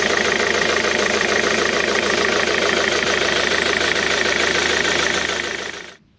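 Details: Diesel car running: metallic rattle at roughly four beats a second, gone at shutdown; owner suspects a worn, loose crankshaft pulley damper.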